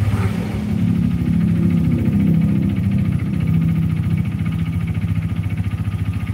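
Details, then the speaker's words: Yamaha Jupiter Z single idling and vibrating, with a fast, uneven low knock under the exhaust beat; diagnosed as a worn connecting rod (stang seher), though some think it is the clutch. "jupiter-z yang bunyinya itu kalian udah denger tadi di awal dan itu gejala suara dari stang seher nya jadi ada beberapa yang berpikir mungkin itu suara kopling"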